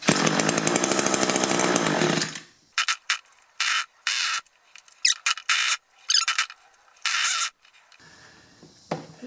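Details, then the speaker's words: Nearly new Echo 2-cycle hedge trimmer with a replacement engine (the original was ruined by unmixed gas), choke half on: brief high-rev buzz, then sputtering catches that die. Fuel starvation from reversed primer bulb fuel lines. "just doesn't seem like it's pulling fuel. Now, one thing that seems a little odd to me on this is this purge or primer bulb. It just seems like it's pulling gas, but it's also pushing air, so I'm going to make sure they hook this up right."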